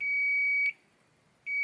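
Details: Hisense AC board with a processor communication error: the continuity tester beeps steadily, cuts off, then returns while tracing the optoisolator signal track toward the processor RX pin; continuity is present here, but an interruption is found further along.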